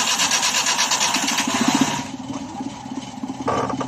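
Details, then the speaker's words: Multicab with hard starting, owner suspected the carburetor; after replacing the cracked, arcing distributor cap and adjusting idle, a short crank catches almost immediately and settles into a steady, even idle. "Ayan o umaandar ng ka mechanics Ayan maayos na yung andar niya"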